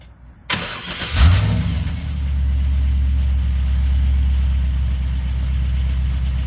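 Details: Car after starter replacement and MAF repair, fired up to move it; short crank, engine catches promptly and settles into steady, even low idle without misses.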